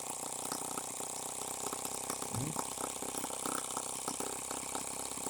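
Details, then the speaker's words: H76 Microcosm twin-cylinder model engine on the bench, run wide open without its water-cooling cylinder fitted: fast, uneven popping with a loping beat as one cylinder keeps cutting out, so it misfires and runs on one cylinder. "this cylinder is warm that cylinder again down to one cylinder again"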